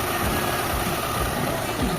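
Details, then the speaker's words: Mitsubishi Lancer "pizza" 4G13 engine, with a complaint of stalling in neutral while driving and hard starting, idles very quietly, steady and even after vacuum check and idle speed screw adjustment: normal smooth idle. "Yan napakatahimik na ng makina niya sir."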